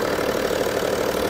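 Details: BMW M550d F10 diesel after coolant-leak repair (water flange): steady, even idle clatter with no misses, knocks or hiss; normal idle.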